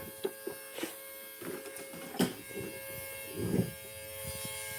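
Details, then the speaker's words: 1971 GMC C10 with 5.3L LS swap, new AN fuel system before first start: thin steady electric hum under some clatter as fuel pump builds pressure; system works with no leaks but the pump is very noisy. "As far as I can tell, we have a working fuel system. Man, is that noisy pump."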